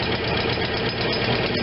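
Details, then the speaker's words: Vermeer BC625A brush chipper, Kohler Command Pro 25 twin gas engine, idle screw being adjusted: steady low lumpy idle, even chug, no knocks; idle too low, owner wants it raised slightly for good oil pressure. "i just think it should be a little higher i want i want good oil pressure"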